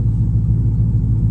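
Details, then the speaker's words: Dodge Charger SRT8 392 V8 after an exhaust leak hole was patched at a muffler shop; deep, even rumble with no puffing or ticking up front, exhaust now heard only at the rear; leak fixed, healthy. "I don't hear no exhaust right here. I used to hear the exhaust right here. Now I don't hear the exhaust right here no more. It's all in the back now."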